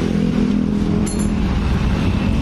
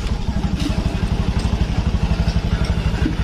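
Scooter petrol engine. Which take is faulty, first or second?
first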